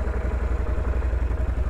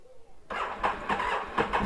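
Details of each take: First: Can-Am Renegade XC 1000 ATV started after sitting seven months, warming up: even, steady low thumping idle with no knocks, misses or hunting; normal, quiet idle. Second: Can-Am Renegade XC 1000 that sat 7 months on a battery tender, likely still on its original battery; starter grinds over sluggishly with uneven chugs before the twin catches and settles; slow cranking, battery suspected.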